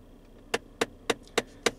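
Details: 2015 Ford Fiesta climate control, sharp evenly spaced clicks about three or four per second from behind the dash in front-vent mode: failing recirculation (air inlet) door actuator skipping.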